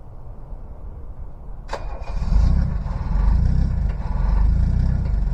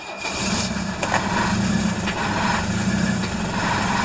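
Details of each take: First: Diesel cold start in cold weather after two glow-plug cycles: cranks, catches near two seconds, then clattery cold idle with slow surges as the missing cylinder catches and all cylinders fire. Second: Cold start in Texas winter after two glow plug cycles, diesel (tractor, Mercedes 300D or Detroit two-stroke) idling unevenly, one cylinder dropping in and out, suspected weak glow plug, until it catches; rough cold idle.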